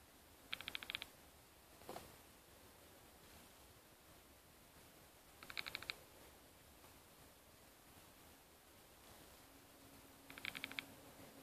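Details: Used 2012 MacBook Air, powered on, makes quiet bursts of rapid high-pitched clicking like hard-drive noise about every five seconds; the noise occurs only when it is on, and its cause is unknown.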